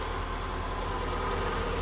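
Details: 1990 Mazda Miata after Italian tune-up clearing heavy carbon buildup, before oil change: steady idle with light quick tick; owner found an exhaust leak and plans to fix the tick.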